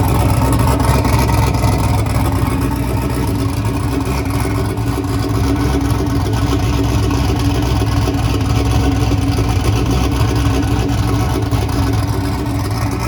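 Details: Turbocharged Chevy S10 after fire-up, idle screw readjusted following an odd start: a steady, even low rumble with no knocks or misses; the turbo V8 idles and runs healthily.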